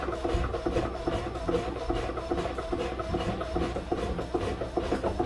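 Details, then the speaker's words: Newly installed grey water pump on a boat, discharging overboard: squeaky chirps two or three times a second over the pump hum from the duckbill anti-siphon valve above the waterline; normal duckbill valve squeak. "And that squeak you can hear, maybe you can hear it. It sounds like a dog with a squeaky toy. That's the duckbill anti-siphon valve on the discharge side."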